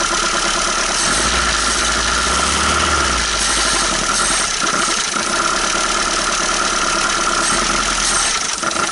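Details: 1980 Dodge Colt Challenger (Mitsubishi Galant) four-cylinder, sitting 20 years since 2001, water-contaminated oil: catches and revs with a loud, busy roar, no obvious misfire; running on all cylinders, sounded pretty good for a while.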